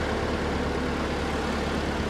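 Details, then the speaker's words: Ford 8N flathead tractor engine with all new spark plugs, idling steady and even with no misses or pops; the earlier bad popping and cutting out is gone, sounding healthy after the fix. "Idling. Purring like a kitten. Yeah, she sounds good."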